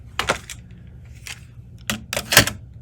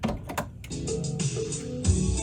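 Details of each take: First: Aiwa Excelia XK-007 cassette deck, after transport service and capstan motor swap, still failing on the first tape tried: several sharp, uneven mechanical clicks from the transport, then only steady hiss; tape not being driven. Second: Aiwa Excelia XK-007 cassette deck, which plays only some tapes despite repeated service, relubrication and motor swaps, now playing a tape it handles. A couple of loading clunks, then steady clean music with no dropouts, dragging or pitch wobble; normal playback.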